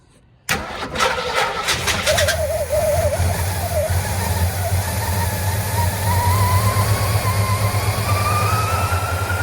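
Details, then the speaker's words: 1958 Studebaker Golden Hawk: the fuel pump runs but its tone doesn't change. It cranks, catches and runs rough on the primed bowl with an unsteady note. The float bowl isn't refilling because of a stuck needle and seat; the float retaining clip is missing. "I hear the fuel pump. I hear it, but it's not changing tone. It's not changing tone, you know?"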